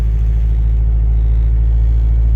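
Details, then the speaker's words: Honda Civic with a no-start complaint, just started for the first time; steady low rumble with an even firing pulse, running slightly rich after the fresh start; normal idle. "running a little bit on the rich side but that's fine we're gonna have that happen"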